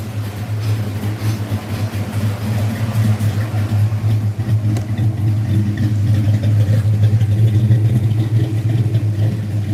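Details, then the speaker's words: Fox-body Mustang V8 idling with a deep, steady lumpy rumble and no knocking, faint ticking from known header (exhaust) leaks that still need fixing. "I don't know for sure like I said there is some some header leaks up here so we do have to fix that but as you can hear no knocking or anything like that"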